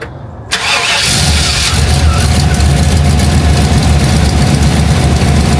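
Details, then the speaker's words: Dad's GMC 3500 truck on the stock exhaust, before a straight pipe is fitted: cranks, catches quickly and settles into an even, muffled low rumble at idle, not that loud, so a normal idle. "As you can see, it's not that loud."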